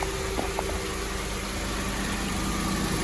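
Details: 2005 Honda Civic 1.7 after coolant and a little transmission fluid added, started without battery: steady, even idle with faint hum, no knocking, squeal or misfire; no leaks, engine healthy.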